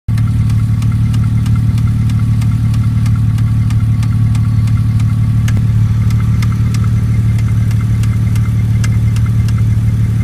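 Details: 2002 Porsche Boxster 5-speed: steady idle with a light, sharp metallic tick about three per second; owner suspects a sticking lifter or a blown header gasket, not confirmed.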